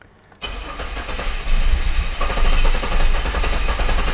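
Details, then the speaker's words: 2009–2010 Jeep Cherokee 3.7 V6 with a rough-running, hard-start complaint, cranked in clear-flood mode with the pedal floored: an uneven, inconsistent cranking rhythm. Low compression in one cylinder from a leaking intake valve. "you can hear the sound of the engine cranking and there's definitely a inconsistence there"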